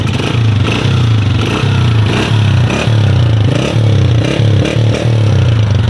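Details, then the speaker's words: Honda 125 whose sound worsens on long rides: uneven chuffing putter with raspy bursts under single-cylinder idle; header nuts loosen from full-speed vibration, leaking exhaust pressure at the header instead of through the silencer. "जैसी वाइब्रेट करती है ये नट जो है ना थोड़े से ढीले हो जाते हैं, जिस वजह से यहाँ से प्रेशर लीक होता है। सही से प्रेशर सिलेंसर से गुजरता नहीं है, आधा यहाँ से लीक होता है"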